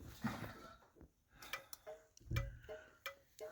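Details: 1966 Chrysler New Yorker turn signal: quiet, regular clicks about every third of a second in a small space; the indicator flashes at a normal, steady rate.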